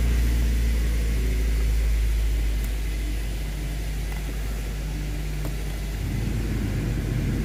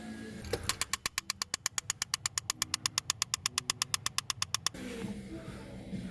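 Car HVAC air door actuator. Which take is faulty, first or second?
second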